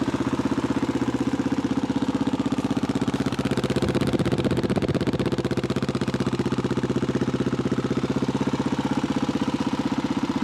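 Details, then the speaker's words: 1985 Honda XR350R single-cylinder dirt bike, single carb cleaned and tuned, air/fuel screw 2 turns out, cold start by kick with manual decompression: steady, evenly spaced thump with no misses, knocks or hunting; healthy normal cold idle. "You can see it's a little rusty, but it's a good running bike for 400 bucks."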